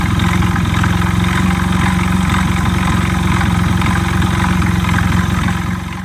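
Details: Honda Ape small single-cylinder idling: steady low chug with uneven pulsing knock about four beats a second; abnormal engine noise, cause unclear.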